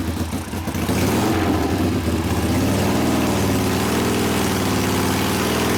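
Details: 1972 Harley Sportster XLCH Ironhead after case repair and engine rebuild (came in with kick starter unable to turn the seemingly locked motor): V-twin settles into steady, loping idle after throttle blips, firm and even, no knocks; normal running.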